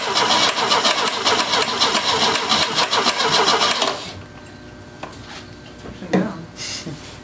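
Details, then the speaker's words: 1970 Opel GT barn find, unrun about 30 years, with gasoline poured in and the pedal floored: about four seconds of steady cranking at roughly four turns a second, no firing, some smoke. Owner suspects the solenoid and an undercharged battery. "i think it's the solenoid because the battery's not charged all the way it's popping in and out the smoke"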